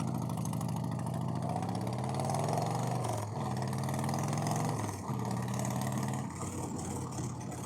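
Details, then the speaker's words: 1990 Harley Fatboy after an S&S Super E carb install and tuning ride: uneven loping V-twin beat steps down in pitch as the bike slows and settles to idle, with no misfire or knock; normal idle, though the rider thinks it could idle a little faster. "But now this kind of seems quiet once you get it down to idle, which is by no means true. Oh well, we're almost back. Almost thinking it could use a little faster idle now. Sounds all right."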